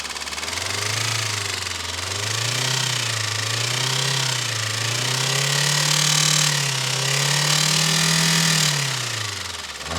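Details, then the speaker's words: Chevrolet Spark petrol engine, recently repaired after overheating, revving up and down with a soft, heavy, repeated knock ("tak tak tak") underneath, not sharp; cause under investigation. "तो दोस्तों जिस तरीके से आपने आवाज सुनी इस गाड़ी की तो क्या कर रही है ये? टक टक टक टक टक टक टक कर रही है। पर दोस्तों ये एक टकटक ऐसी है। एक सॉफ्ट टक टक है।"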